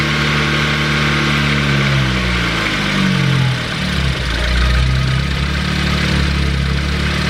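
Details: Ford Focus ST, first start of a new engine built with a Speed Performance pop-n-drop kit, after priming oil with plugs unplugged. Loud low idle hunting and wavering in pitch without settling; rough, grouchy running, cause unknown.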